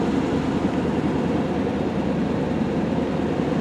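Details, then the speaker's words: 1989 Chevy C1500 two-wheel drive with a 350 V8 and 700R4, 101K miles, idling after cold start; smooth, steady low rumble, no knocks or misses; 50 psi oil pressure, charging, no check engine light; normal idle. "Good oil pressure. We've got 50 pounds of oil pressure. It's charging. Everything's working. I mean, no check engine light. Just a great running pickup."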